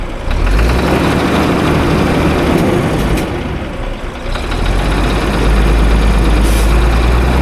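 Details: Diesel engine at idle: heavy rumble with rough, uneven clatter that comes and goes, the inconsistent sound suggesting one or more failing fuel injectors knocking.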